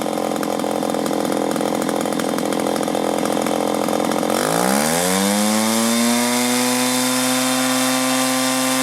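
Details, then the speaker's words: Echo PB400E two-cycle blower bought in 1983, warmed up and throttled up after a new fuel line and fuel filter, exhaust-port decarbonizing and air filter cleaning: winds up smoothly from a rough note to a steady, even high-speed drone, no bogging or surging; normal running. "She's a beauty! What a machine! Wish they'd built them like that now."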